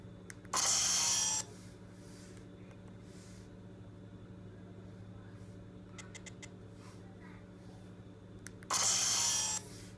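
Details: iPad mini powering down gives two loud, harsh, hissy scratching bursts about a second each with faint ticks between; it also happens on typing; the suspected unknown software bug is fixed only by a factory restore without restoring a backup.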